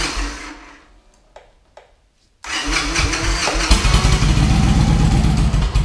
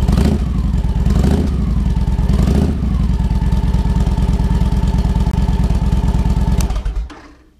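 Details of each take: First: Victory Vegas Jackpot on a chilly day, new fuel pump just installed and primed: starter turns over steadily at about three to four turns a second and never catches, same fault as before. Crank-no-start. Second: Victory Vegas Jackpot V-twin after fuel pump replacement: two throttle blips, then an even, deep lumpy idle without stumbling before shutoff. Running normally.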